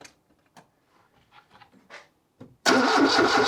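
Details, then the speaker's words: 1978 Lada Niva parked two years in a hedge, after setting ignition timing and confirming spark: faint cranking clicks for over two seconds, then engine abruptly catches with a loud rush, firing for the first time; earlier attempts only backfired. "It seems as though I hit the nail on the head now, because this is the first time I hear it actually firing."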